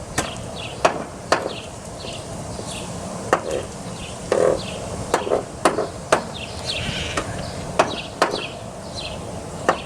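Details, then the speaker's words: Toyota Highlander driver's door makes sharp clicks and clunks on opening and closing; the door check (catch) is worn loose and will be replaced. "so it is a catch right here that's making the sound so it gets very loose right here"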